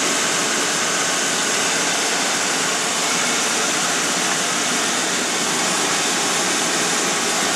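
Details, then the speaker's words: 2003 Mercury Grand Marquis engine in warm-up period after sitting about 5 hours, run on Mobil 1 synthetic with Lucas treatment: even, steady hiss-heavy idle, no knocks or pings, runs smooth; normal cold-start idle. "I'll let you guys listen to it here for a second. As you can hear, there's absolutely no knocks, no pings, runs smooth."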